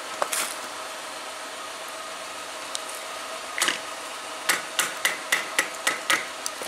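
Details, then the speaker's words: GM car: sharp light clicking at about four per second, which the owner says comes from a worn-out bushing (bearing also mentioned). "the bushing is wore out the been expel surround that's why it clicked"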